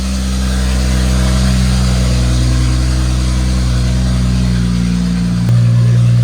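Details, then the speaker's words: 2015 BMW F31 wagon, N20-to-N55 engine swap, first start: very loud, deep, unmuffled blatting drone because downpipe isn't connected to the exhaust; excess oil burning off. "So the reason why it sounded so ridiculously loud is because I don't even have the downpipe fully connected, because I still need to line it up with the exhaust."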